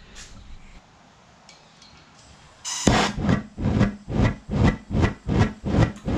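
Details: Homemade Frosty T gas burner on an eBay furnace, air almost fully blocked off: rhythmic whooshing surges about 2.5 per second, flame roaring up and fading; burner hunting, owner suspects the tube is too long.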